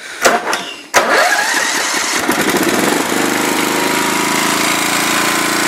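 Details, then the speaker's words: Snapper rear-engine mower, believed 1988, after a new starter, warm but still needing choke: a few sharp cranking pulls, catches near one second, then settles into a steady even buzz; it starts and runs fine. "yeah that's my kill switch for it now don't really have a switch on there yet so yeah still gotta do a little bit of work just a little small minor problems but at least it runs and it drives"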